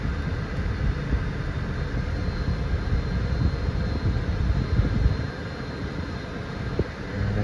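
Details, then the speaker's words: 2013 Dodge Charger after replacing a dash blend door actuator that had been clicking: a steady low blower and engine rumble while the heat is turned up and down, with no clicking or ticking. "usually a good thing to do is turn the heat up and down and nothing does its thing now i don't hear anything"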